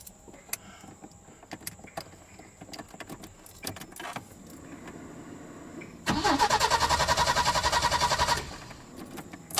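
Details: Peugeot 505 V6 with an intermittent no-start and black smoke; ECU swap did not help and the owner suspects the wiring harness: about two seconds of fast even cranking with a rising whine, no catch.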